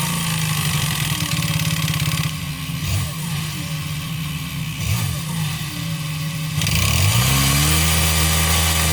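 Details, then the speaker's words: 139QMB 50cc scooter engine with a deliberately ground-down piston skirt and sanded cylinder, giving large clearance. Sharp regular piston slap knocking is heard only at low idle and on deceleration, and it blurs into the exhaust as revs rise. "Słyszeliście jak Piston Slap brzmi On brzmi tylko na wolnych obrotach jak dodacie lekko gazu i później już tłok tak szybko zasuwa że nie jesteście w stanie wychwycić tego brzmienia"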